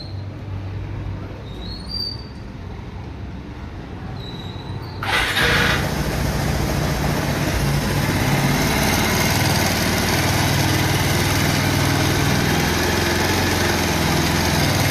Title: Loose Timing chain effects #Timing chain noise #Tentioner